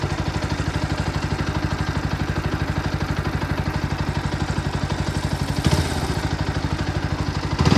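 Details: New Bajaj Pulsar NS125, about 15 days old, at idle: steady beat near three per second with a rattly clatter over it. The engine is making an extra, abnormal noise that points to a mechanical fault.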